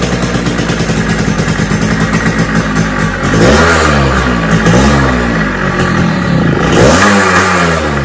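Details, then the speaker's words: Suzuki Shaolin two-stroke survivor bike before restoration, running on choke and reserve fuel: uneven note surging and sagging, never holding a steady idle; suspected blocked carburettor pilot circuit. "so the problem with the bike immediately that I could notice is it's not idling so that could be due to multiple reasons one of the reason is that the pilot circuit is blocked it starts on the choke"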